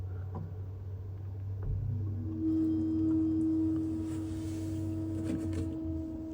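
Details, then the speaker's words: Vaillant ecoFIT Pure boiler reset from F28 ignition lockout caused by a frozen condensate pipe at -5 °C; quiet hum, then the pump and fan come in and hold as the burner lights, a normal start-up. "And as you can hear, the boiler is starting to fire up. It's just going through its sequence, including running the pump and the fan."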